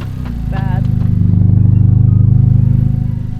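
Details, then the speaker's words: 10th-gen Honda Civic Si rolling: low pulsing drone that rises with road speed rather than RPM; no oil leaks seen, engine ruled out, transmission suspected blown but not confirmed. "It doesn't sound like it does it with the RPM. It sounds does it like with the car rolling. Yeah. The faster you roll it out right"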